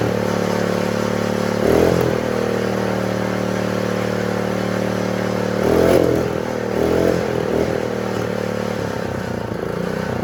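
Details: Honda GX120 small engine that wouldn't start, after moving the throttle spring clip to another hole: single-cylinder running fairly steady with a couple of brief throttle blips, keeps running on its own; normal running.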